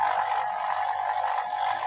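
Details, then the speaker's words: Vacuum pump on a double manifold evacuating a non-cooling freezer box before charging with LPG as refrigerant, gauge needle falling: loud, steady mid-pitched drone with no knocks. Still drawing air, not yet at full vacuum; it should turn quiet and stable once done. "kita akan tunggu pompa sekitar 15 menit 10-15 menit nanti kalau suara vakumnya sudah dirasa sudah stabil ini kan dia masih keras ya suaranya"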